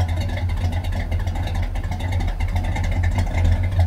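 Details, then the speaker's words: 1976 Chevy Chevelle Malibu V8 warming up after fitting a new Edelbrock intake manifold and carburetor: deep steady rumble with a firm clean rise on a single rev, no misses; healthy revving, though the idle is still being adjusted. "until I hit that gas and rev it once she sound like she got a cam right now I like that"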